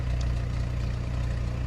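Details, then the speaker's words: Pontiac with 146,000 miles after starter replacement, restarted on the ground with the guard refitted and a fuel smell present: fires right up into an even, smooth low idle with a steady beat, no stumble or grinding; normal idle. "We might let this thing run for a minute. Smells like gas in here. Oh, that's nice. Fires right up now."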